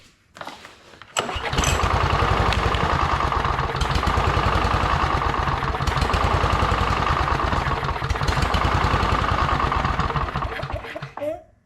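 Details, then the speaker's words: Victa Briggs & Stratton push mower from hard rubbish, sitting about two years, primed: a couple of failed pulls, then it catches into a fast, slightly uneven chug; hard start after storage. "It wanted to do something. Then it started. So, that's the main thing. It actually starts."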